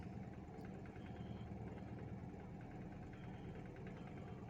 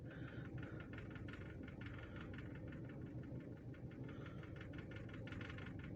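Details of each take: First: Toyota EFI engine with a rough start and missing: a quiet idle with a faintly uneven, wandering beat. After the throttle body was cleaned and the learned values reset, the idle is still relearning. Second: Toyota EFI petrol engine at idle while being tested for a hard-start, rough-idle and missing complaint after a slight correction: a low, steady hum with an even beat and no misfire or stumble, so normal idle.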